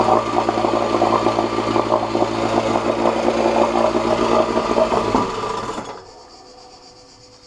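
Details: 1986 Johnson J4BRHCDE 4 hp Seahorse two-stroke outboard, stored for years, previously overheating, test-run in water after water-passage cleaning and pump check: steady even buzz, no misfire, then shuts down; cooling flow working, about 5 minutes in, a little hot; small known carburetor leak; runs healthy.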